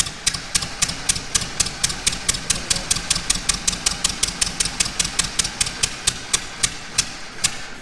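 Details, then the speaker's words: 1924 (also called 1925) Ford Model T four-cylinder, unrun for many years, first start-up: sharp ticking firing pulses about four a second, slightly uneven with a brief stumble; rough running, crew suspects it is not getting all its fuel. "we must not be getting all fuel we'll have to put more fuel in it and instead of giving it more let's just clean it out"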